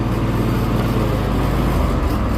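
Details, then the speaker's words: Gravely zero-turn mower after replacing a deck pulley; the blade had been seizing under load, making the belt slip and smell of burnt rubber. Blades engaged: steady, even whir of deck spinning up under engine drone, no squeal or belt slip; blades running normally after repair. "Ahí pueden ver que no hay ningún ruido extraño, todo suena como tiene que sonar."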